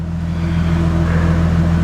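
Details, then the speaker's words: Nissan 350Z V6 after throttle body and MAF cleaning and idle relearn fixed stalling above 1,500 rpm, not yet fully warm or overheating: strong even drone without stumble or hesitation; normal revving. "all right so i'm gonna rev up to 3000 rpms um we did try to burp the car but it's being extremely difficult it's not overheating as of right now"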